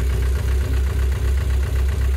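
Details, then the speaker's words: Engine with hydraulic lifter tick, first start after an oil flush, before the final oil fill: steady idle with only soft, even light tapping, far less clatter than before; lifter tick much reduced. "a déjà légèrement même beaucoup moins de claquement donc on verra avec l'uile définitive après mais là clairement au premier démarrage après le rinage euh elle claque déjà beaucoup mais alors beaucoup moins"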